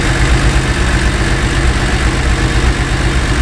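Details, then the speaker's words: Porsche 911 SC Targa, parked about 8 years, not running on all cylinders: loud low lumpy idle, about four uneven pulses a second, won't settle, stalls when cold; smells rich, high CO reading; injectors to be cleaned. "so that's a just an indication that um it's not burning the fuel properly no cuz it smells Rich it does and what still it's actually rich on this number here too"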